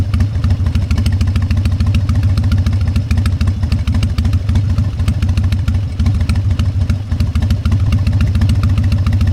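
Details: Harley-Davidson Fat Boy Evo 1340 V-twin, started after winter storage with a cleaned carburetor, jumper cables and long cranks: strong, uneven loping potato-potato idle with clean throttle blips, no knocks; runs healthy.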